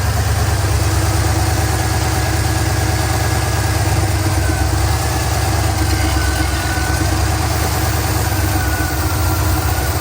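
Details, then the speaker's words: Crown Victoria engine with a suspected unmetered-air leak: brake cleaner sprayed under the intake manifold, between the valley cover and intake, makes the idle sag and sound loaded as the fuel is drawn in; this points to an unmetered air leak. "You can hear the engine RPM kind of come down, the engine kind of get loaded up. And like I said, that's indicative of the engine inducing that fuel."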